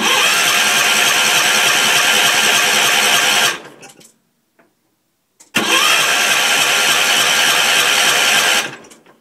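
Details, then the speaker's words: Gravely 450 tractor with a Kohler K241 single on its first start attempt after rewiring. Two roughly three-second bursts of even starter whir with no firing; fuel primed. No spark confirmed; owner suspects the old coil and the "crappy" condenser. "probably not getting any spark this tractor has this old coil and this really crappy looking condenser which i suspect is no good"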